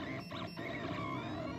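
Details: TronXY X1 3D printer, hotend at 190 °C, printing a benchy from SD card with control board moved into a printed base: soft, steady stepper whirr with shifting tones, no clatter or grinding, quiet and healthy.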